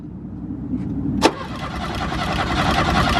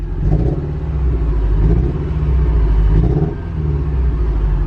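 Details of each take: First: Porsche 944 that had sat for years and would not start: starter cranks the engine steadily with an even rhythm but it never catches; no fuel pump whine or priming heard, fuel problem suspected. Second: Porsche 944 that had sat for years and would not start, now fixed and given injector cleaner. It idles at about 900 rpm instead of 500, with a deep, steady rumble and no knocks or misses. Oil pressure and temperature are good, with the cooling fan awaited.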